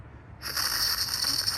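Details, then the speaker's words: PCV valve removed from a 2003 Toyota Tacoma 2.4L 2RZ-FE during misfire diagnosis and valve cover gasket job, shaken by hand: a light quick rattle shows it is good and functioning, though it was replaced anyway. "I can hear it rattling in there that's how you can tell if it's good"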